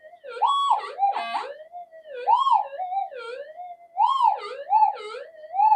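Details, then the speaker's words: Metal detector on upgraded GPX-5000-type boards in mono mode, no noise-control or frequency changes made: wandering, warbling threshold tones rising and falling in bursts instead of steady, swamping faint targets; the coils are not properly balanced. "It's just that um these coils are not properly balanced. That's the only issue."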